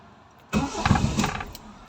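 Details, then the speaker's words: Toyota Corolla: engine catches with a short burst of firing, can't hold idle and dies again. Cause is a faulty idle solenoid, which is to be replaced with a new Corolla-specific part. Stalling after start. "ayaw ayaw niya mag idle Ayan oh namamatay pa ulit ayun"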